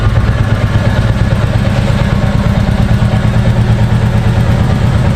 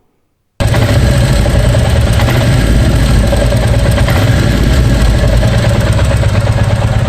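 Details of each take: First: New 2023 Royal Enfield Bullet 350 Military Black single on its stock exhaust, idling: a steady, deep thump with an even, unhurried beat and no ticks or rattles; owner says the note opens up after 5,000–10,000 km; normal exhaust sound. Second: 2023 Royal Enfield Bullet 350 single: irregular rattly clatter as the throttle is released and revs drop to idle, also noticed slowing from 50–60 km/h for curves. Unchanged a week after service said it would fade. Abnormal noise on throttle release, cause unconfirmed.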